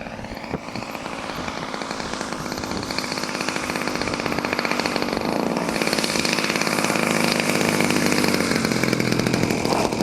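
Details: Small two-stroke engine, from an archive clip after repair, climbs to a higher steady rev and holds it, firing evenly with no misses or rattles; it sounds healthy.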